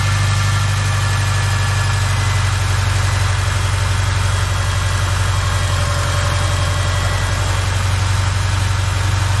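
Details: 2007 Subaru Forester with a failed starter: smooth, steady idle with an even low hum and no grinding or clicking; the engine itself runs cleanly.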